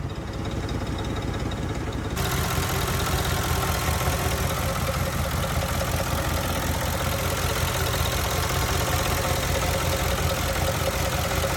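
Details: 2005 Mercury Grand Marquis 4.6 modular V8, freshly rebuilt, at idle: deep, rapid knocking clatter that sounds like rod knock but was traced to failed timing chain tensioners letting the chain rattle.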